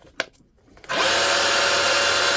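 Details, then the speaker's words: Dewalt DCH273 SDS rotary hammer drill, battery-powered, final test after full teardown, service and reassembly in ordinary drill mode: a steady, even motor whine with no hammering or rattle. The gearbox sounds smooth and healthy. "That's ordinary drill mode. You can hear the difference between ordinary drill mode and hammer."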